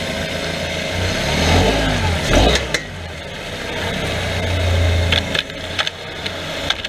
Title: Mazda 3 clicking / popping noise front end